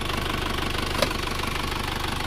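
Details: Car fresh from an engine overhaul, idling before a 40 km round-trip test drive: steady, even idle with a smooth regular beat and no knocks or ticks; previously thick smoke on startup, now no dipstick smoke, engine healthy.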